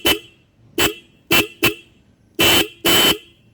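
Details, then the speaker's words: Minda D95 horns on a bike, ignition on, after relocating the 4-pin horn relay that had caused a "ghain ghain" sound: six clean, bright blasts, short and long, crisp steady tone, no rasp; natural horn sound restored. "काफ़ी crisp original sound आनी शुरू हो गई है।"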